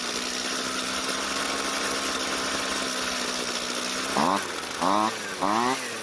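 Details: Jonsered two-stroke string trimmer, hot, after a slight carburetor fuel adjustment: steady high buzzing idle, then three sharp revs that climb and drop cleanly; responds crisply, normal running.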